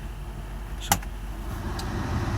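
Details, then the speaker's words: Mercedes 500E W124 HVAC auxiliary fan: a click, then a steady low whirr that swells as it steps from low to high speed. High speed and automatic work normally, though a wiring issue still needs fixing. "And we'll go into high speed. And automatic also works."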